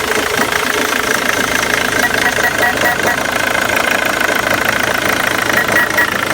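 Diesel idling with an uneven, stumbling clatter and a loping rhythm that never settles; rough idle, cause not identified.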